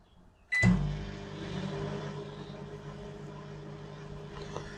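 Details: LG microwave brought in as faulty, tested heating a cup of water: click at switch-on, then low steady hum with faint fan whir, no buzzing or arcing; water heated, oven works normally, no fault found.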